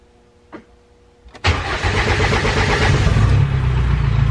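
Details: First start of an R2.8 Cummins diesel swapped into a 1997 Jeep Wrangler, in neutral with grid heater used after priming fuel and fixing a mislabeled wire; short crank, catches at once, steady rumbling diesel idle, no misses or knocks.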